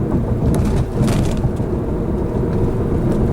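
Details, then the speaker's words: 2002 Pontiac Grand Am after rear strut replacement with ready-to-install quick struts, driving over bumps and railroad tracks: one dull thump, then steady road rumble. The rattle is gone and the car no longer bounces like a spring. "you can definitely hear there's no more rattle we'll see if you can judge the fact that it no longer bounces like a spring"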